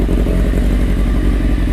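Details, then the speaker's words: Restored 1995 Honda CBR600F3 (engine largely redone), fully warmed up in the garage: smooth, even four-cylinder idle with steady low rumble, no knocks or misses; running great. "seems like a happy bike to me running great that's how she's all warmed up now it tells you the happy bike now"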